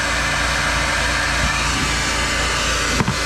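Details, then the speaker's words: Generator loaded with microwave and blow dryer at about 5000 watts, clean sine wave: constant even hum with steady airy rush, no surging or hunting; quiet and healthy. "look how clean this is my point guys i got clean and still how quiet it is"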